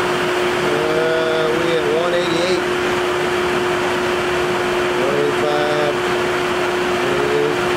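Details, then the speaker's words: 1984 Honda Saber VF700S radiator fan running with an even, steady, mid-pitched whirr and no rattle or scrape, switched on by jumpering the radiator temp sensor; the fan works, so the owner suspects a bad fan switch or a gauge-cluster fault. "at least i know the fan works so the only problem is uh it's either got a bad fan switch or something's tied in with the gauge cluster"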